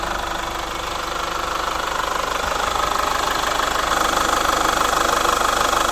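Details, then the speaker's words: Chevrolet Captiva FL diesel (weak pull, growling turbo, smoke on acceleration, hard cold starts): hard, regular diesel injector knock at idle, about three per second; only injector 1 optimal, injector 4 worst; later fixed with injector rings and CVs. "Nah untuk injektor cuma satu injektor yang kondisinya boleh dibilang optimal yaitu injektor nomor satu yang paling parahnya inor nomor 4"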